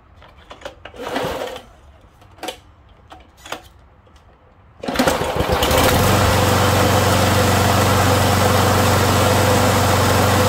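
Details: Lawn mower that backfired on starting, fixed by replacing a rocker's missing valve cap: handling noises, then the engine fires and holds a steady, even putter with no backfire or misses; running healthy.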